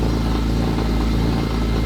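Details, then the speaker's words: BMW E46 M3: starts and runs, a steady, even idle with a smooth low rumble and no knocks, misses or whine; normal idle. "i mean it run it starts and runs for sure it doesn't sound bad nope sounds good"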